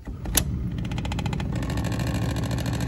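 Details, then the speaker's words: Heating system zone valve with heating flow on: low hum with fast, even buzzing rattle from valve body while the actuator fails to move; faulty zone valve motor. "it's definitely laying the heat through but obviously don't want to sound like that so so why is it i'm vibrating with that on it"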